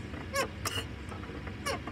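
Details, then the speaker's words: Car clutch: short, dry high-pitched squeaks each time the pedal is pressed. Suspected causes are a damaged slave cylinder or friction between the release fork and the bearing head; greasing the contact may fix it, but the cause is unconfirmed. "este pequeño ruido puede ser porque el cilindro esclavo está dañado otras veces puede ser que haya mucha fricción entre la horquilla y la cabeza de apoyo"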